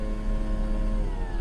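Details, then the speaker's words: 2018 Lexus RX 350, about 52,000 miles, right rear door, mic held close: window motor whirs freely with sagging pitch while the glass fell down after a popping noise; regulator cable snapped, needs a right rear window regulator. "you hear it I hope y'all can hear it so that's just the motor spinning but the cables that works on the regulator and pulls the window up and down pretty much um just broke so it's going to need a right rear window regulator"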